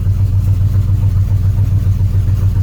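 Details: Truck that had idled down and died with debris in its fuel lines, started after injector cleaning with the fuel rails primed: steady low throbbing run with even pulses, no misses or stumbles; now idling cleanly.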